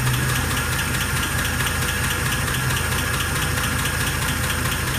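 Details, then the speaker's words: 1948 Pontiac Torpedo with cast-iron head, not smoking: steady idle with a light, uneven top-end tick. Owner places it around the front three cylinders, possibly the lifter/valve spring area, with the exact cylinder unknown. Engine ticking. "not smoking sounds good through the tail pot i think that cast iron head is it i mean you can't hear it like a uh like with a regular valve cover it's not that you get down below right in here but it sounds higher"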